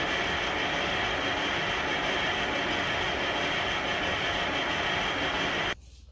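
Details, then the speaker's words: International 93 combine, unused for 15–16 years, with the fuel line taken off at the engine. The electric fuel pump gives a steady hissing whir, then cuts off sharply, as it runs to push old fuel out of the line. "so one thing dad suggested was taking the fuel line off at the engine and just let the fuel pump run"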